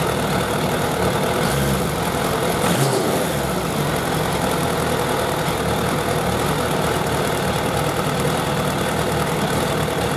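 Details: Suzuki Bandit 1200 four-carburettor naked bike at hot idle during carburettor synchronisation; even, steady smooth hum with no stumbling or hunting, four cylinders well balanced, a normal idle.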